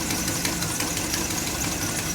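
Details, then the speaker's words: 1963 Chevrolet Impala V8 at idle, heard through a screwdriver probe on one bank: light quick even ticking, likely a lifter needing adjustment or stuck; exhaust leak known on the other side. "I can hear it so she got a lifter ticking on that side might need to be a little adjusted might be stuck"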